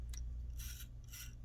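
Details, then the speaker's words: 2004–2008 GM instrument cluster gauge stepper motor, needle swept by hand: two short faint gear whirrs over low hum; audible gears mean a good motor, silence means bad; normal stepper gear noise. "this is a good one you can hear the gears moving inside so that's the good one and that's how you determine which ones are good which ones are bad"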